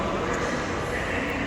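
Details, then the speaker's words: Mall AHU on VSD fan control, corridor jet grilles: loud rushing hiss of air with a faint whistle, no mechanical rhythm; excessive airflow because tenant units are unfinished and a partition blocks the tenant's slot grille, so fan speed is being reduced via the VSD. "Today I have an issue about the sound of the grill, so we need to adjust the VSD of the air juice."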